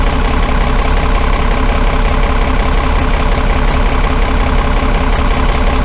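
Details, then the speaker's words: Dennis Dart SLS bus diesel (Project 114) idling regularly near 170 a minute with a faintly lumpy rhythm. Cracking the cylinder one injector caused no note change, so that cylinder is weak, possibly blocked or letting air in. "I only did that injected twice then and you didn't hear the engine zone change so that indicates that cylinder one on this engine isn't doing very much"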